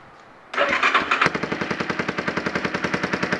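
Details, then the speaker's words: Yamaha Warrior 350 single, first start after sitting years, new aftermarket carburetor, gas bottle feed: catches at once and settles into a quick, even popping beat with no misses; exhaust still to be fixed. Normal running. "well there you got it gasps Yamaha warrior 350 runs now it's time to get all the plastics on it fix the exhaust and we'll go from there"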